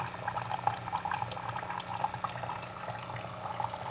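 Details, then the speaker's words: Keurig coffee maker, reported as not shutting off water but now working, brewing a cup: low air-pump hum under gurgling as the pump forces air into the heater unit, pushing water up the pipe through the K-cup and purging it. Normal brew cycle. "the air pump is running and it's forcing air into the heater unit displacing the water up this pipe and through the k-cup blowing out the rest of the water"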